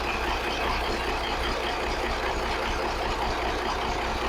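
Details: 1983 Kenworth cab-over, Cat A-model diesel, after setting injection pump timing and overhead; started right up, possibly running low on fuel; even, steady idle rumble, slightly muffled and distant, no knocks or misses; owner thinks the idle problem is fixed.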